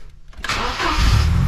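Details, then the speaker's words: Volvo 740 Turbo at 250,000 on the clock, after new spark plugs and a cleaned MAP sensor (it had misfired occasionally before). A single brief crank, then it fires at once into a smooth, even idle; it starts first crank every time. "look at that one crank that's already on as you can hear it sounds a lot better as well"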